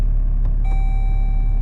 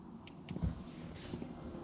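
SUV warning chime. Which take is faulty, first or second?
first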